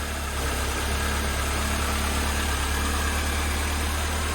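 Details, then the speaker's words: 1988 Mercedes 190E W201 petrol engine just started after valve stem seal replacement and refuelling, idling unevenly with a lumpy, stumbling beat and occasional dropped pulses; rough idle with a slight misfire. "Have to give it a little chance to still running a little bit rough. But to be honest, it kind of misfiring a little bit."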